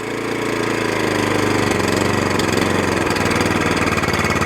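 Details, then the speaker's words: Suffolk Punch 14SK cylinder mower, still cold, after carb clean and service to cure hunting: revs down to a low, steady, even idle with no hunting, then back to full throttle. Normal idle. "Yeah, idle's down lovely, and back up to full throttle again."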